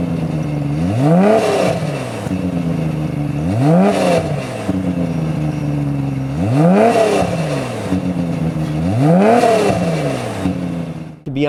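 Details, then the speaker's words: Tuned 500HP Nissan R32 GT-R (Wangan-style build) six-cylinder turbo revving in smooth repeated blips; note clean and fairly subdued for the tune because a catalyser quiets it versus a full straight pipe; normal healthy exhaust note. "you might have thought hey that's kind of quiet for the level of tune that this car has but that's because it has that catalyser in there and that does quiet it down a lot versus being a full straight pipe"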